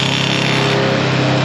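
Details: 2021 Can-Am Commander Max four-seater, before carrier bearing replacement: loud mechanical roar at high engine speed with a dry rattle buried in it, the known four-door driveline rattle.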